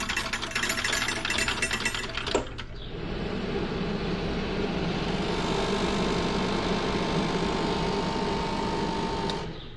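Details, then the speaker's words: DunHot popcorn popper motor on first run after an estate-sale find: initial clatter from loose top screws vibrating, then after tightening a steady, even whir with a faint light tone; running normally. "I forgot to tighten up the screws, and that was just the top vibrating. Quiet now."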